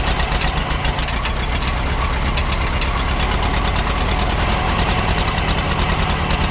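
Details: Minneapolis Moline Big Mo 500 tractor, first start in 10+ years after ignition fix, on auxiliary fuel tank: deep, steady rumble at even idle, no misses or knocks; fan kicking against the shroud, no cooling problems.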